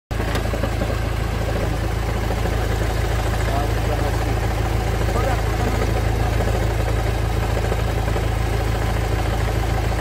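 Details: Honda Civic 2.2 i-CTDI diesel at idle: a regular rattling chatter of roughly two per second under the engine note, caused by a damaged dual-mass flywheel.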